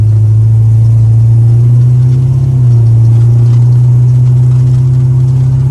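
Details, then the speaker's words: Holley Sniper EFI car on a test drive after lean condition fixed, now with all four injectors firing: smooth steady low drone under load, no stumble, popping or surging, much better, perfect air-fuel ratio; normal running under load. "yeah yeah much better perfect air fuel ratio"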